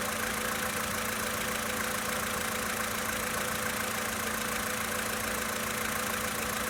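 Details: 2013 VW Polo Sedan Sochi Edition, 65,000 km, just after cold start: fast light ticking knock about two per second over steady idle; internal engine knock when cold, cause unclear.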